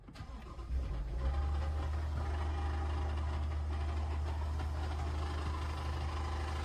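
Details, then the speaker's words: Brand-new Toyota Tundra, owner says the engine broke: starter catches, then engine settles into a heavy, droning low hum at idle before shutting off; sounds wrong, no specific fault pinned; abnormal engine noise on start. "Holy [ __ ] bro. This car is done. This car is done. It's about to shut off. It shut off. The engine shut off. It's already broken."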